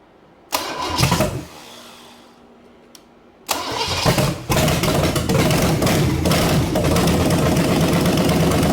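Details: 1974 Chevy 454 big block that sat 20 years, after resetting over-advanced timing: two cranking bursts, then steady, even idle with clean exhaust beat, good oil pressure, no rod knock; normal idle.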